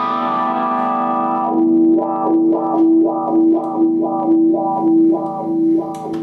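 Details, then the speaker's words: Second-hand wah pedal after fixing its scratchy, worn pots and reassembling: clean guitar tone sweeps smoothly up and down in a steady rhythm with no crackle or scratch as the pedal rocks; normal wah sweep. "So now we have a pedal here that looks great and absolutely sounds great."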